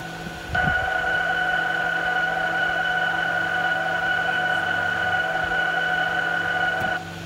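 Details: 2020 Toyota RAV4 Hybrid pedestrian warning speaker (6V, 6.4–9.6 ohm, front under engine compartment) heard in drive and reverse: steady fairly high electronic tone about six seconds, then off; working normally.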